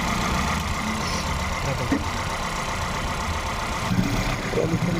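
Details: Volkswagen Polo/Vento with code P030100, a cylinder 1 misfire, that misfires at 50–70 km/h with the engine and EPC lights on; lumpy, stumbling idle under the engine hum; the cylinder 1 injector wire shows no pulse while the plug lead has current.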